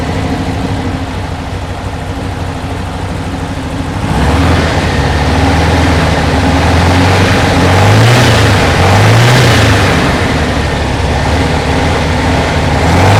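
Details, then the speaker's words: 1968 Porsche 912 1600 flat-four after new parts fitted, backfiring through the carb with timing suspected too far advanced; idle steps up, then pitch wavers up and down every second or so instead of settling, a hunting idle before timing check. "uh she's jumping around more than I like so uh let me get the old uh timing gun on it and uh see what uh she comes out to"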